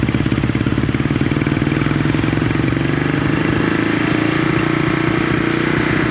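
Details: 1970 Honda SL350 twin at normal idle on first start, fuel poured down plug holes and carb leaking gas; loud, steady, slightly lumpy idle with even firing and a small rise in pitch, running cleanly.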